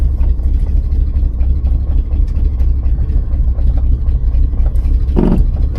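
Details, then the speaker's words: 1986 GMC square-body truck with Chevy 350 V8, first start after 9 years sitting, idling in neutral: deep, even, steady low rumble with no knocks or misses. Normal idle. "started it's running is that a neutral they neutral we'll let it run like this for a second"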